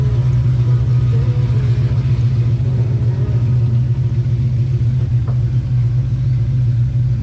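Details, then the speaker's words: 2005 Pontiac GTO back from the track, V8 running: deep steady rumble, smooth and even, no knocks, ticks or misses; motor sounds good, but the car barely moves, slipping above 4–5 mph from a rear-end/differential problem. "Yep. Motor sounds good. It still moves under its own power right now, but just barely."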